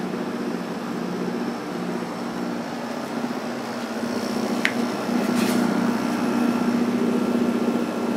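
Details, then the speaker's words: Probably late-1980s Emerson Quiet Kool 6,300 BTU window air conditioner: soft steady fan whoosh with low even compressor hum, no rattle or grind; runs quietly, strong airflow. "but this thing is pretty quiet my purchase"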